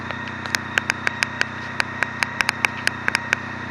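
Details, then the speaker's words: Honda Pan European ST 1300 motorcycle: steady low idle with even hum and light regular ticking, purring quietly; normal idle. "Elle est très silencieuse, elle fait pas beaucoup de bruit, même à grande vitesse. Et la tendance en fait, vous voyez, voilà. C'est ça le bruit que ça fait. Ça ronronne."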